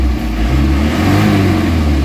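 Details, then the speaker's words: Isuzu Crosswind diesel after XADO engine treatment, previously low power, throttle delay and heavy vibration: deep even drone climbing smoothly in pitch as the throttle opens, no shaking or stumble; response restored to normal. "so nabalik na natin sa standard yung RPM ng makina yung galit niya yung response niya"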